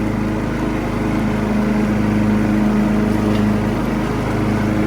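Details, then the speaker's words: Classic Husqvarna lawn tractor from auction, after electrical repair, mowing with blades engaged: steady, even single-cylinder drone under load with no misses, knocks or surging; running really good. "Running really good. Nice little runner."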